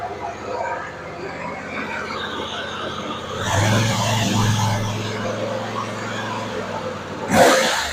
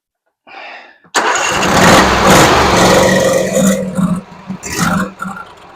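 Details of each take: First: Husqvarna RZ46i zero-turn mower after gummed carburetor cleared, burning old residue off muffler: small engine runs steady and even, smooth low hum, no misses or surging; now purring. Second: Husqvarna RZ46i zero-turn mower, sat for years, being choked hard to pull fuel through: starter cranks hard with brief sputters that never catch; fuel not getting through a gummed carburetor.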